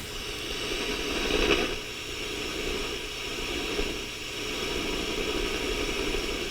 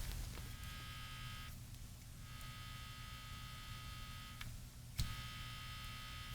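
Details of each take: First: Sony TR-6 six-transistor radio under repair, heard through a signal-tracing probe at the oscillator: a steady soft rushing hiss with no tones or crackle, showing the oscillator is working. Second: Sony TR-6 receiver under repair, volume potentiometer center removed: steady low mains hum with a buzzy edge from the speaker as the open audio-section input picks up hum.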